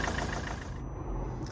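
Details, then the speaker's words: Ford Mondeo MK4 diesel after replacing the copper injector seals: even diesel clatter at steady idle, no misfire or chuffing leak; engine running normally. "She's alive! Oh, I'm chuffed for that. Perfect."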